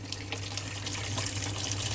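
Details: Samsung 13 kg washing machine that had no water flow in auto mode, checked at the inlet relay valve and reassembled; after repair steady rushing water with a constant low valve hum, filling evenly without sputter, normal.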